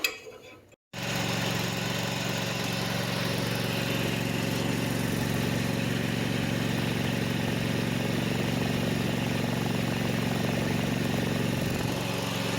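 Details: Kawasaki FD590 18 hp / FD620 20 hp engine on a Kubota, first start after replacing the leaking valve cover seal; may smoke from old oil on the exhaust; catches after a short pause and settles into a steady, even, smooth drone with no knocks: normal idle.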